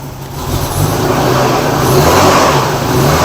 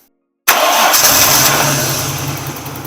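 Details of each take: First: Nissan R31 RB30 inline-six petrol engine that had sat a long time, suspected gummed up. It idles rough and stumbles on throttle blips with a gurgly, uneven misfire before the spark plugs are checked. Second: Nissan R31 RB30 petrol six after misfire diagnosis and fix: after a brief silence it fires at once and settles into an even, steady idle, without the earlier shake and rattle.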